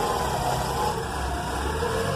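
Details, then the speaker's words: 1992 Mazda Miata engine idling smooth and steady after a loose belt causing squealing was repaired; no belt squeal. "all you got to do is crank it up oh-ho see the how smooth that is"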